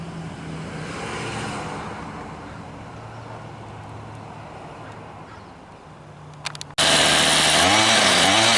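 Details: Troy-Bilt TB32 EC string trimmer after a new carburetor was fitted, with the mixture screws a quarter turn out from seated; even, quiet idle, then a quick clean rev to a high buzzing wail that holds without bogging. Normal.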